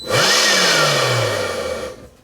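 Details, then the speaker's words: DeWALT cordless leaf blower shutting down after about 2 seconds at any speed: whine spins up fast, then winds down and stops; looks like an overcurrent shutdown, with the controller cutting the motor rather than a motor fault. "after only a few seconds at any speed, like it's going into an overcurrent shutdown."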